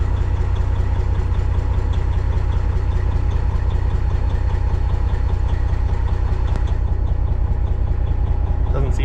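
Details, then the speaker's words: Kenworth cabover diesel running on its original ECM temporarily swapped in as a test; not charging, low voltage. Deep idle with uneven pulsing, two to three beats a second, stumbling irregularly; stutter unchanged, maybe slightly rougher. "I honestly don't think it's any different. It actually almost sounds a little bit rougher."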